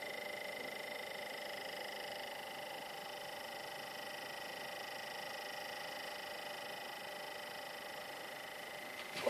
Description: Strange noise my ps4 is making...